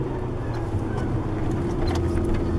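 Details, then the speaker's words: Nissan 240SX with RB20DET on a very cold day: steady whine over engine and road rumble while driving, present with the clutch engaged and gone with it pressed in; owner says the manual transmission is going out. "but yeah you can also hear that my transmission is going out because um you can hear it whine while the clutch isn't engaged"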